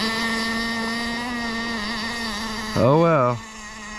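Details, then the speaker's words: Kyosho Jetstream 1000 nitro boat with GT32 marine engine, restoration start attempt: high buzzing drone with a brief rev, running rich. Owner notes a part sits too high and may have vibrated back up. "as Hy says she's running rich and"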